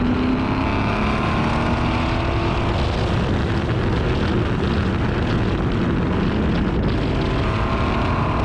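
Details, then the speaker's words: Car after misfire fix with new spark plugs, coils reinstalled and one new coil: engine pulls cleanly through revs with smooth even note, no stumble or popping; runs good now, normal. "it actually ended up sorting out all the issues so it runs good now"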